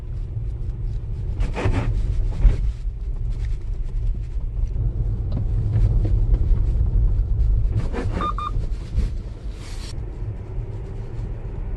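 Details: Tesla passing over a speed bump after a newly developed suspension part was fitted and several service repairs: low cabin rumble with two bursts of knocking, the second ending in a creaky clunk.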